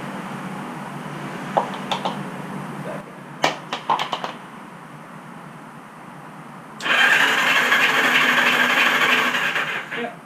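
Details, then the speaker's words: Motorcycle unrun for 35 years, cranked on the starter with spark plugs removed to circulate oil after decades without it: even, quick whir for about three seconds, healthy fast crank; oil light went out afterward. "Turn your battery box on, key on, so it should spin faster with the plugs out."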